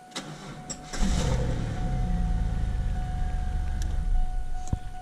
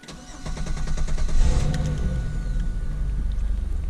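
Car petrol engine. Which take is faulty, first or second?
first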